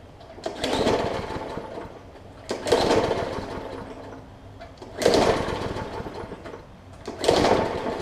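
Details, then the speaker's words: Briggs & Stratton OHV plastic-carburetor push mower left unstarted over winter catches in short sputtering bursts about every two and a half seconds, popping and dying back as it is pulled; water in the fuel and likely on the spark plug. "you can hear it popping so there's a little bit of water that's probably in the plug as well so i'm going to continue to pull it it'll catch at some point"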